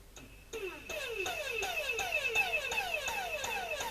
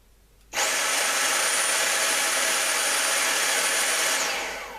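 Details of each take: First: Dyson cordless vacuum with a suspected BMS fault, though the 18650 battery cells appear good: the motor surges in quick falling chirps about 2.5 per second and never holds a steady whine; owner suspects a faulty vacuum unit; motor pulsing and running weakly. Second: Dyson cordless vacuum motor run directly from a bench power supply, bypassing the battery. It gives a smooth, steady high-pitched whir, then spins down evenly, twice. The motor is fine; the battery management board is faulty.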